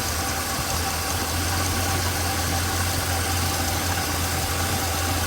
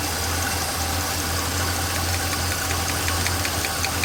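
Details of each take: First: Small-block Chevrolet 350 V8 after rocker tightened until clatter stopped then three-quarter turn (factory spec): smooth even low rumble, no valve clatter or ticking. Normal idle. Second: Chevrolet small-block V8 during valve adjustment, one rocker deliberately loosened: steady idle with a light, quick ticking keeping pace with the engine; valve lash clatter from the loose rocker, fixed by tightening three quarters of a turn.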